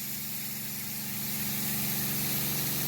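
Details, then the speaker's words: Small Seaflow variable-speed diaphragm pump on battery and solar, running to a restricted shower outlet then throttled down: even fast pulsing hum under spray hiss, nice and quiet, steady; running normally. "hear it nice and quiet now I'm going to turn this down so it doesn't have very much output this pump is a variable speed pump"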